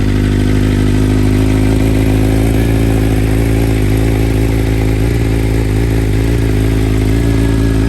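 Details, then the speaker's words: 2021 BMW M1000RR with BT Moto Stage 1 ECU flash, first cold start of the day: settles into a steady, even idle with smooth low thrum, no hunting, stalling or varying idle speed. "oh and you can hear that sounds nice and even sounds like a good idle right there no stalling no issues that was the first time this bike has been started today"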